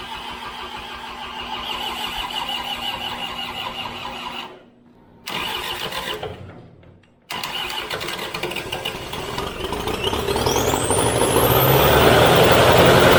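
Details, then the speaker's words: New Holland skid steer after an engine rebuild: cranks, catches briefly and roughly, then revs sag and it cuts out; owner thinks it ran out of fuel. "thank you sounds good I think it ran out of fuel"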